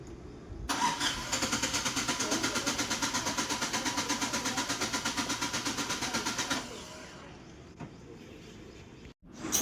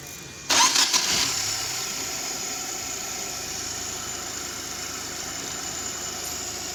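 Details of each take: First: 2019 United Bravo with long cranking but no start: the starter churns steadily about three times a second for six seconds and never catches; the cause is a faulty ECM. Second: 2019 United Bravo that had a long-cranking no-start, after an ECM repair: a short crank catches at once and settles to an even, steady idle with no misses or knocks.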